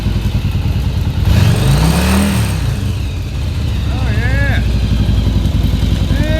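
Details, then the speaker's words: 1989 Yamaha Virago XV1100 V-twin, stock dual Mikuni carbs cleaned, first start after about seven years unused: revs up and drops back cleanly with a deep even beat; idle slightly off but healthy throttle response. "it sounds like my idols off a little bit but they still throttle up"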